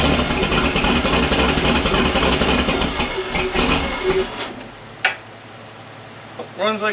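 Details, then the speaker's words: LS-swapped Foxbody Mustang after restoring a loose starter solenoid wire; V8 runs with a steady even note about four seconds then shuts down, no misses or knocks; runs normally, radiator has a pinhole leak. "but it runs again Wow fix the radiator"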